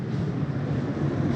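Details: 2024 Catalina 243RBS travel trailer roof air conditioner turned on from the thermostat and set colder, heard inside: steady low roar of blower and compressor with no rattles or surging; normal operation.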